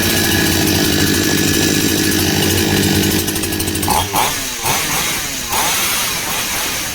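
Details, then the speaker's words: NCH 58cc chainsaw, carburettor screws fully closed then set to baseline of H 2.25 turns and L 2.5 turns: steady idle for four seconds, then several quick throttle blips rising and falling cleanly without bogging. "ഇനി H ഞാനൊരു 1, 2, 2.25. L ഞാൻ ഒരു 2.5, 1, 2.5. Start ചെയ്ത് നോക്കാം."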